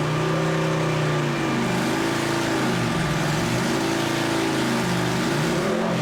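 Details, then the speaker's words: 2007 Harley-Davidson Heritage Softail after ECU flash and dyno tune, new fuel pump and fuel pressure regulator fix for lean running: V-twin revs up and down cleanly, no popping or misfire; running strong and even. "it's so smooth and nice to to ride now it's it's actually a different motorcycle"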